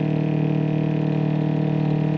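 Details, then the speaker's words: Replacement Flojet 04325343 water pump on off-grid rainwater system, after priming and bleeding air; steady fast even pulsing hum, pulling strong as pressure rises past 30 toward 40 psi. "that sounds like a good sound now now it sounds like it's really kicking"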